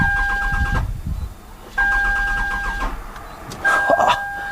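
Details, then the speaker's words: Toyota Camry with an intermittent no-start and reported exhaust backfiring: the starter cranks in short bursts over a steady beep without firing, and a scope shows no coil control, so the coils are not firing. "got no coil control right here at all coils are not firing"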